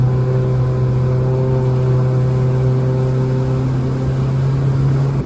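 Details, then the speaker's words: Outboard boat engine held at too-low revs, below the roughly 5,100 rpm sweet spot: deep, heavy, steady labouring drone with no rise in pitch, the engine working hard and wasting fuel. "So listen to the engine working quite hard. You can hear it's got a really hard labouring drone in it."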